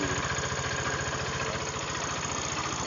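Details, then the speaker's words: Honda Vario 125 scooter idling, losing radiator coolant: fast even idle pulses with a loud busy whirring rattle on top; worn noisy water pump, seal to be replaced. "Udah dia makan air, bunyinya luar biasa ya, ribut sekali."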